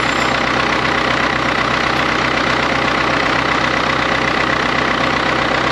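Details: 1939 Caterpillar D4 D4400 diesel idling after its injectors were serviced and refitted: a steady, even idle with a regular beat and no misses or knocks. There is a little pop and one injector has a slight seep still to fix, but it runs healthy.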